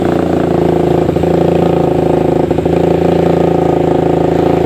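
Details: Suzuki Satria FU 150 single-cylinder, ported and with new valve shims after slow rpm climb, revving smoothly with a steady, even beat and only brief throttle dips; sounds healthy and crisp after the rebuild.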